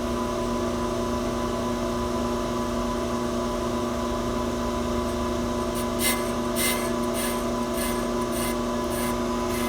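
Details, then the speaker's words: 2011 Range Rover Supercharged brake rotor being cut on a brake lathe: steady grinding hum with the bite coming and going each turn, not a solid stream; rotor probably warped about 4 to 5 thousandths or more, which would be felt in the brake pedal. "Not a nice solid stream noise. This was probably warped 4 to 5 thousandths, maybe a little bit more. And you would definitely feel that in the brake pedal when you hit the brakes."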